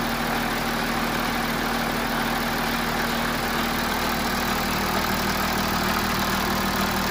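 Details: Audi A6 C7 (4G) 3.0 TDI V6 diesel Quattro idling cold before service; busy metallic timing chain rattle over a low hum. Dealer fixed it by replacing the faulty timing chain tensioner and the exhaust camshaft.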